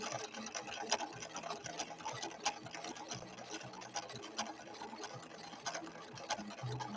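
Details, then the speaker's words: Late-1970s Viking Husqvarna 6460 Colormatic, repaired after cam stack issues, sewing a blue decorative stitch with an untested cam B: quick even needle ticking with steady motor hum, no catching or knocking; normal sewing. "Oh, brilliant. And this machine did need some repairs when it came in. It had some issues with the cam stack."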